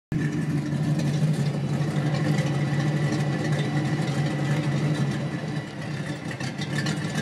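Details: 1992 Ford Mustang LX 5.0 V8 rumbling and revving with a raspy, puffing chatter on top from an exhaust leak at the headers.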